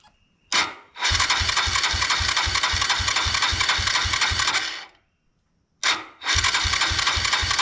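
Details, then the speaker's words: 1999 Suzuki DR200 left sitting for nearly a decade, cranked on the starter without throttle on fuel reserve with fuel flowing. The starter whirs with even compression pulses, stops, then cranks again but the engine never catches: cranks but won't start. "If you'll hit the start button, don't don't hit the throttle. Uh, yeah, fuel's flowing. It is. Okay, keep going. Just Just keep cranking."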